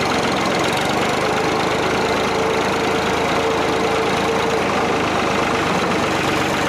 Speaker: yeah like my rat killing the way a old piece of equipment's supposed to sound